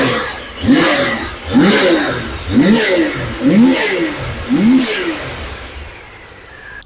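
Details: Triumph Sprint 955i, a non-runner sat for years, first start after fuel began returning: engine blips up and falls back about once a second in clean, even revs with no misfire; normal running.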